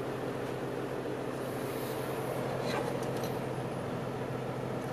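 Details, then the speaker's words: 1993 Toyota Coaster with 1HD-T turbo diesel, idling just after starting on the first crank, heard from the interior. Even, smooth idle drone with not much rattle and no knocks. Normal idle. "it sounds great vitals really smooth there's not too much rattle in the interior here"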